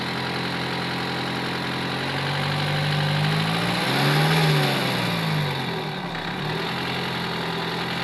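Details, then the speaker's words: Diesel engine idling while being checked with a diagnostic computer: a slightly uneven, lumpy beat with one brief blip of revs, a misfire at idle. "hii gari iko na miss na hii mi sijui anajuanga kuunda hii"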